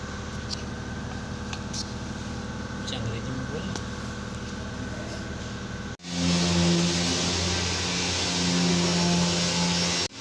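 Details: Mercedes S500 (2000-2006 S-class) after fuel pump and filter replacement for crank-no-start: smooth steady V8 running then a clean rev with strong even note, no stumble or miss; normal running.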